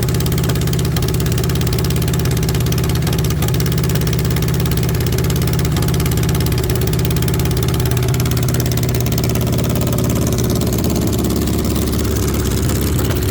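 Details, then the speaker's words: VW Beetle rat rod air-cooled engine at first start after rebuild: slightly loping, uneven idle with mild hunting; carburetors still need adjusting and balancing, rough idle from unbalanced carbs. "Uh, there's still some adjusting to do on the carburetors."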